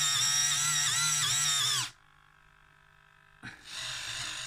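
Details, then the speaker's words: InMoov robot shoulder servo, with grease and ball bearings fitted: a high whine that wavers and dips as it labours, stops, then restarts. Screw heads catch the unfiled top housing piece, making the servo strain. "I think we're just making the servo struggle a little bit you can kind of hear it more than you can see it"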